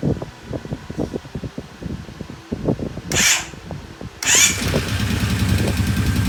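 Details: Kawasaki Brute Force 750 after an engine rebuild, with a new oil filter, conventional oil and a temporary battery. Irregular cranking pulses and a couple of short bursts, then it catches and settles into a steady, even run with no knocks. It runs well after the rebuild.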